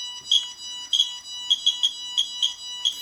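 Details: QSAFE QSF-104 radiation meter compared with RADEX and Smart Geiger near a radioactive sample: short, high-pitched chirps about three per second at uneven spacing as the dose reading climbs past 1 µSv/h. The meter alarm is sounding.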